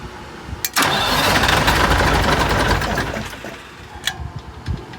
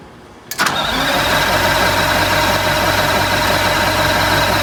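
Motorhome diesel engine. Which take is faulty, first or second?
first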